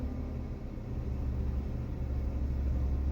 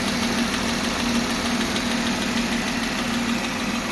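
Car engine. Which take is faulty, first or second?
second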